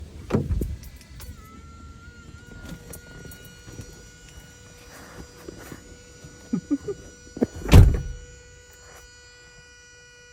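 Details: Honda Odyssey, which also has a defective starter: dull lock thunks when unlocking, with a thin steady electric whine lingering in the background afterward.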